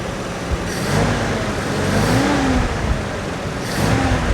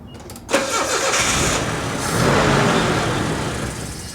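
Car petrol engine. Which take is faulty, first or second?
second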